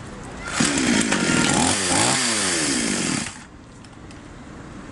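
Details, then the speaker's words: Chinese copy Stihl MS660 chainsaw before carburettor adjustment, reported to start but stall when throttle pressed: catches and races about three seconds, pitch sagging and surging, then cuts dead; carburettor mixture out of adjustment. "Сообщенная неисправность. Инструмент запускается, но глохнет при нажатии на педаль газа."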